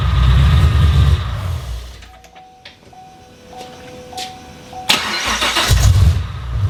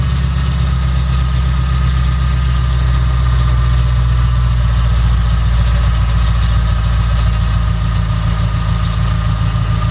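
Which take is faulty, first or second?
first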